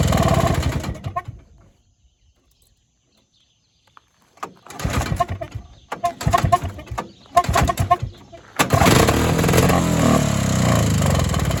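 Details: Evinrude Bobcat 25hp two-stroke snowmobile sat 20+ years, not started in a while, given a shot of fuel; recoil pulls with sputtering uneven bursts before catching, then ragged unsteady run; owner suspects air leak or hardened carburetor diaphragm.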